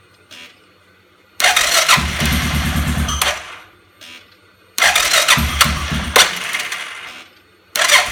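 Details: 2005 Suzuki King Quad 700 ATV with Copperhead VDI aftermarket ECU, starting problems since install: repeated starter bursts with no firing; crank no start. Owner blames ECU; maker blames faulty charging system, battery dropping to 8V.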